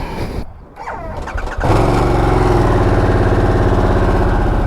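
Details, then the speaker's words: Harley-Davidson Sportster S after dealer software update and fixing a battery drain caused by the key fob constantly communicating with the bike: brief starter whirr, then it catches at once and settles into a strong, even, loping idle; a normal start. "that's how it's supposed to start oh man it rides like a champ now"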